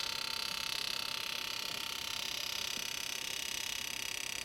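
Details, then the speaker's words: Rotary engine on M4 standalone engine management, in the injector test menu with primary injector number one set to run: a sharp, very even ticking at about four clicks per second over near silence. The injector is cycling normally. "set to run number one primary first you can hear it's cycling that's a good sign"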